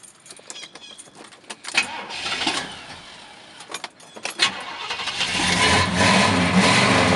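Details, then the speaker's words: 1968 Pontiac GTO V8 (stated "404" motor) with a brand new battery and no oil leaks: a few clicks, then it starts right up and settles into a steady, even idle rumble with no knocks or misses, a normal start and idle. "starts right up there's the uh 404 motor uh stickers are still on the front here as you can see"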